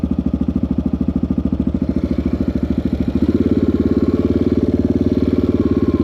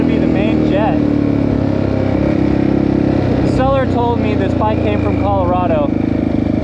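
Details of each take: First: 1984 Yamaha XT600 single-cylinder, wide-open-throttle desert test after swapping the carburetor's wrong undersized jets (bike came from Colorado) for correct standard jets, pilot screw 1.5 turns out: strong, even thump pulling cleanly under load with only a tiny breakup; normal running, best it has been. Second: 1984 Yamaha XT600 single, carb found with wrong-sized jets, before the jet swap: runs rough with uneven pops on throttle lift-off and breaks up at the top; owner suspects lean, not enough fuel, main jet; lean misfire from undersized jets.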